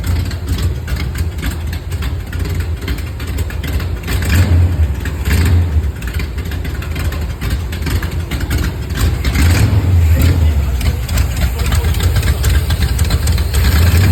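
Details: Chevy Camaro with a 350 small-block V8: choppy, lumpy, uneven idle between two short revs with a weird noise of unknown source.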